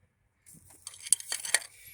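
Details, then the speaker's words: 2004 Honda Civic EX engine, spark plugs removed, cylinder three turned just past top dead center and its piston pushed down with a screwdriver: two sharp metallic clunks reveal play from a worn connecting rod bearing, the rod knock. "means that broad bearing is worn out from that connecting rod down under the oil pan on the lower part"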